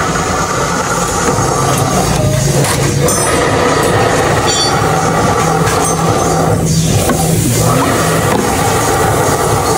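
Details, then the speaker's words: Honda SH150 scooter: deep, steady rumble ("gồ gồ") from the CVT belt drive while running. Traced with the drive disassembled to worn pulley bearings; a simple fix cured it, instead of the dealer's full CVT replacement. "cái tiếng anh em vừa nghe muốn xác định cái nguyên nhân cái tiếng kêu gồ gồn này mình tháo hết Nguyên cái nồi ra để kiểm tra coi nó kêu bắt đầu từ đâu mình chỉ cần nghe thôi là mình biết nó kêu bạc đạn mly rồi"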